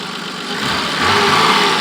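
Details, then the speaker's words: 1986 BMW E28 528e six-cylinder, day after repairs plus Lucas oil stabilizer, 39 miles driven since, smoking stopped: smooth even rise in revs with no knock, miss or rattle; runs strong, not overheating. "this thing is fixed and I am 100% confident you can drive it around without it breaking down run strong"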